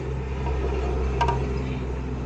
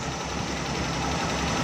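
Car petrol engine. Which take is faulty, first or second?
second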